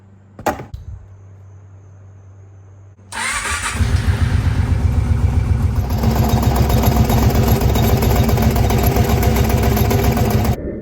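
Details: 2002 Kawasaki Prairie 650 4x4 ATV V-twin after a tune-up (one valve loosened, plugs): starter crank, then a lumpy, uneven idle with fairly regular popping back through the carb. It pops less than before. Intake popping at idle.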